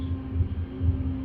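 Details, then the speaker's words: Brunswick A2 pinsetter single-phase motor restarted after service to check for starting issues; steady low hum with even rumble, no knocks or squeals, picks up cleanly and runs normally, not running hot. "make sure it doesn't have any starting issues or other running issues so start looks good run looks [Music] good"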